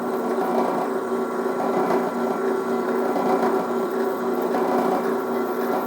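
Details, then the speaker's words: Newly assembled Harbor Freight drill press drilling a test hole in scrap steel; even motor hum with a steady cutting rasp and no chatter or squeal: normal drilling, clean hole, faster than expected. "Got a nice clean hole in it. Drilled pretty nice. I'm actually really impressed with how fast it drilled."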